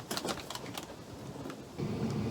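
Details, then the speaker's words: Chinese diesel heater on a 40-year-old sailboat, first start: after the fuel pump ticks, a few faint clicks, then a steady low hum rises and holds as the fan spins up. Normal blower running. "i can hear the fuel pump now and the fan has started running"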